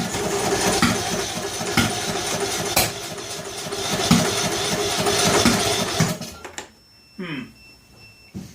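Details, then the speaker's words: John Deere L100 lawn tractor cranking on a jumper pack with carb spray: uneven cranking with sharp pops about four a second that never catch, firing back out the intake; owner suspects a tight intake valve, not confirmed. "I think we got to look at the valves. I think with all the firing out the intake, we got maybe a tight intake valve."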